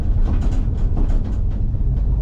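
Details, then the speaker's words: 1963 Chevrolet Impala on first drive after ignition tune-up, going over bumps: loose clattering bursts over low road rumble; trunk lid rattling against body, poorly held down, latch and rubber needed. "Really, it's just the trunk. The trunk's super rattly."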